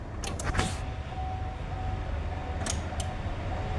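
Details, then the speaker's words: GMC Sierra with a misfire, after replacing fuel injectors, key on with engine off: a faint steady mid-pitched hum for a few seconds as the in-tank pump feeds the high-pressure fuel pump; normal fuel pump priming. "يلا افتح سويتش بس سامعين الطرمبه الطرمبه اللي في التنك ضخت للطرمبه دي تمام"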